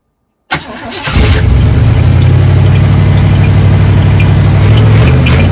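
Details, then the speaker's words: 1976 K5 Blazer, off the road since 1997, after lubricating the seized carb secondaries: the engine catches and its revs drop to a steadier low idle; still a touch high, owner suspects a vacuum leak. "I still feel maybe some vacuum leak but now it at least goes down in RPMs a lot better"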